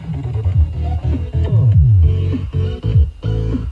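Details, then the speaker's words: 300 W RMS subwoofer after cleaning with compressed air, suspected debris between voice coil and magnet causing rub; deep bass music plays cleanly, no buzz or rattle — normal playback, buzzing gone. "so my guess is that something got stuck between the voice coil and the magnet uh just causing the voice callil to rub against the magnet making that horrible buzzing sound"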